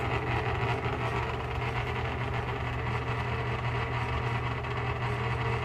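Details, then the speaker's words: Fan motor: a steady low hum with a rough, gritty whir throughout, caused by bad, dry bearings that need a lot of oil. "bearings that's pretty bad just definitely needs a whole lot of oil"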